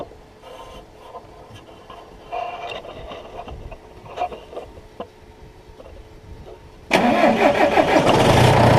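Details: John Deere 6115M diesel tractor after replacing rubber fuel lines, electric pump primed first: quiet clicks and faint pump hum, then catches at seven seconds and settles into a steady even rumble; normal start.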